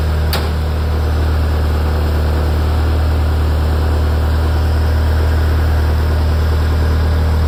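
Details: Ferrari F355 engine after the front-of-engine noise heard from tens of seconds after start has stopped: deep, even low rumble with a steady tone and no knocks or ticks; idle smooth and stable.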